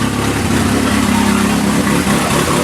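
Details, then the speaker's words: 1981 Alfa Romeo Spider Veloce, first run in about 8 years, exhaust section missing: steady, slightly rough warm-up idle near 1000 rpm, temperature rising, oil pressure okay, no knocks or misses. Normal warm-up. "almost idling at a thousand now temperatures coming up oil pressure looks okay"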